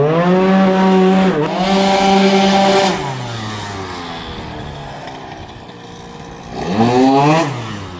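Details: Tuned scooter with a racing cylinder, swapped exhaust, and new inner-rotor ignition, after roller and pilot-jet changes: revs climb fast, hang flat at a hard ceiling, then drop back. The ignition limiter is cutting in, found set to 0, thought to be the lowest level.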